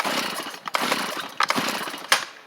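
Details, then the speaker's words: Stihl chainsaw won't start; owner suspects flooding after a spritz. Repeated pull-cord bursts, engine briefly fires once then dies each time, never catching. "give it a pull or two does not seem to want to go y'all heard it hit that one time and I'm wondering if the die wonder if it's just flooded"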